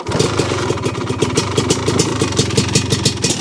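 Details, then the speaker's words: 1985 Honda ATC 250R two-stroke, running before rebuild: fast even firing with sharp rapping ticks over each beat; a lower-end noise is suspected; teardown found piston rings stuck, engine previously blown by owner. "but I do hear a noise, a little lower end noise, I think."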